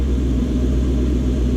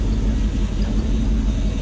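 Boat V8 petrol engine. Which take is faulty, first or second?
second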